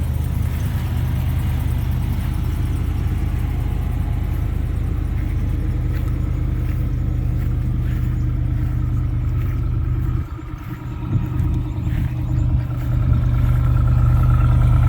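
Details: New Ram 2500 gas 4x2 longbed pickup, early in break-in with only dealer-to-home and one town trip's miles: deep, steady low idle exhaust rumble with an even beat, no knocks or ticks; healthy idle.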